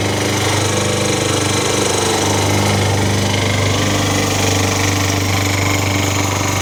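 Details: Toro single-cylinder engine swapped onto a Craftsman mower. It runs steady at speed with a hard, rapid tapping over the exhaust beat. The owner suspects an early knock is developing, not confirmed.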